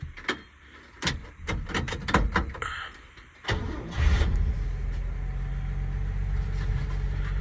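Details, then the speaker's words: 1959 Chevy Biscayne, 235 six-cylinder, manual, run off a temporary fuel jug, cold start on choke: several seconds of uneven cranking, then catches and settles into a smooth even idle; normal cold start and idle. "How's that? It's a nice, smooth little 6-cylinder. Good old 235."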